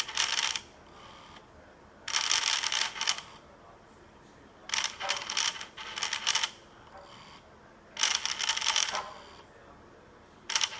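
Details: DJI Zenmuse H3-3D gimbal after power up: harsh, hissy grinding bursts repeating about every two seconds that never settle; cause unknown.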